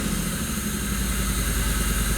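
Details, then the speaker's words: Abandoned Pontiac Fiero lowrider V6, first start on new fuel system, no throttle: rough lumpy idle, uneven chuffing and skipping beats, running on three or four of six cylinders; owner attributes to clogged fuel injectors. "all right i'm not hitting the gas at all it is running horribly there you go all right what do you guys think is it running on three or four out of the six cylinders this is so so bad but to be honest with you i'm not even gonna dig deep into why it's misfiring it's gotta be the fuel injectors"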